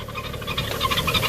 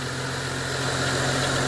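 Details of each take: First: 2011 BMW 335i E90, N55 engine, 57,000 miles, parked with a cold engine, before the belt and pulley replacement: a fast chirping rattle repeating several times a second at idle from a worn belt tensioner pulley. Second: BMW E90 335i N55 at idle after replacing drive belts and pulleys: steady, even idle with a smooth low hum, no squeal, chirp or ticking from the belts; the earlier noise is gone.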